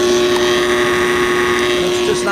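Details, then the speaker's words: Pentair 3/4 hp pool cleaner booster pump. When it kicks on it gives a steady, strained low hum with a thin tone. The propeller spins at only half speed before the pump clicks off, so the motor is bad and needs replacing. "spinning at full speed spinning at half speed so that tells us the motor's bad we're going to have to replace that"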